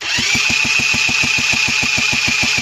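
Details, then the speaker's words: Honda NH80 Vision two-stroke scooter under restoration, cylinder barrel recently repaired: turned over on the starter, even chuffs about six a second under a high whine, turns freely without catching; normal starter cranking. "well let's turn the engine over sorry not fire it up it is going round"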